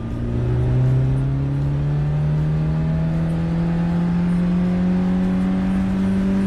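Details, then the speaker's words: Cheap car run on WD-40 in place of engine oil, accelerating from traffic lights after about 20 km: engine note rises smoothly and steadily, slightly stifled but no knocking or rattling; normal acceleration. "all good don't worry nothing new in the engine sounds it gets stifled a little"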